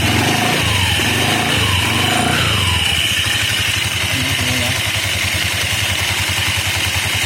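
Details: Honda Vario CBS scooter after CVT reassembly and new spark plug: rough, uneven churning over a steady idle pulse from the CVT, said to mean a badly worn drive belt, fix suggested is splashing water on it; worn CVT belt.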